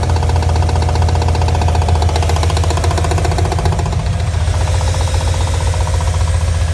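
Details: Mazda RX7 engine running: loud, hard, fairly regular knock nearly four times a second. Engine knock, cause unknown.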